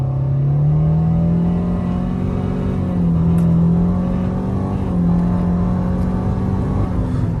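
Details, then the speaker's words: 2013 Nissan Altima CVT after adding transmission fluid to cure a whine, hard acceleration on a 60 mph road: engine note climbs smoothly with no whine over tyre and wind noise; CVT pulls cleanly. "So this road is 60 miles an hour, and as you can see, no more whining noise, even though I really hit it kind of hard, and it's doing just fine."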